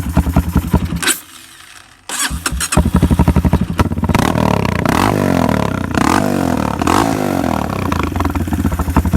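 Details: After carburetor repair, the bike starts, catches and fires into a fast, uneven putter that stumbles and sags instead of revving cleanly; it bogs when given gas. The owner suspects something in the air box; it does have an air filter.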